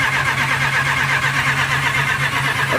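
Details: Direct-injection supercharged Range Rover after fixing a crank-no-start caused by low fuel pressure: engine catches and settles into an even, steady idle with a smooth low hum and no misses; running properly.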